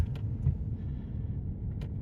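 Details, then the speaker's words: 2018 Chevrolet Silverado at about 100,000 miles, driven over bumps and manhole covers after replacing the left-front sway bar link that had clunked: only low, even road rumble with no rattle or clunk; the suspension is fixed. "manhole covers here there's a good bump up here too yeah instantly it's uh it's fixed"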